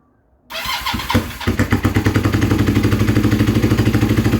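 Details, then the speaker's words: Kawasaki KZ440 project bike, new spark plugs, choke on one side: catches after a short crank then settles into a lumpy, uneven beat of about three pulses a second with much smoke; rough running. "Not sure if you saw that, there was a lot of smoke coming out. It started."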